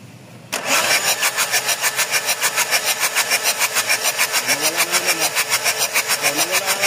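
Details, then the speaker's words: Mazda BT-50 pickup, WE 3.0 DI turbo diesel, with a hard-starting complaint: steady cranking at about three compressions a second for several seconds with no catch. A long crank; the owner mentions the pump. "kasi ang problema daw nito talaga hard starting tagal bago umandar"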